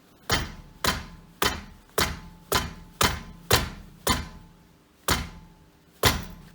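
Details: VW Golf 4/Bora/Jetta front end knocking over bumps despite replaced caliper guides: sharp hollow knocks about two a second, each ringing briefly; front brake pad rattling in caliper.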